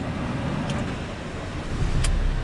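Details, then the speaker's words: 2017 Ford Transit Custom 2.0 EcoBlue diesel after a non-start with no dash or CAN communication: steady low diesel rumble, even and unbroken, rising slightly when revved; now starts and runs, but warning lights flash and rev counter lags. "it now starts up however if you can notice but a couple of flashing lights"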